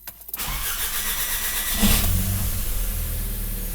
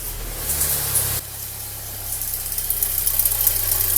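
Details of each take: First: Audi A3 first start after timing work (phase shifter, broken chain, valves not bent), with fuel and oil primed: short crank, fires almost immediately and settles to a smooth, steady idle with no chain rattle or ticking; normal start and idle. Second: Audi A3 at idle, noise under the hood quieter once warm; suspected camshaft-linking chain, injection pump tappet or cam phaser, most likely the phaser: fast even metallic ticking about four per second.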